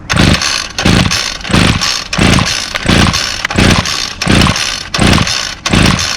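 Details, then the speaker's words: Two-stroke string trimmer that only runs with the throttle held and dies as soon as the throttle is released, started with choke and primes: short surges about every 0.7 s, dying back each time; hard starting, rough running, needs repair. "i can only hold the throttle down second i let off of the throttle it dies um so i'll demonstrate that"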